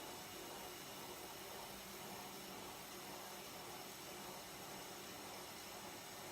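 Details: Lathe cutting hex stock further down the part: the earlier interrupted-cut vibration gives way to a steady, even hiss with no rhythmic chatter or hammering. The cut is now continuous and smooth.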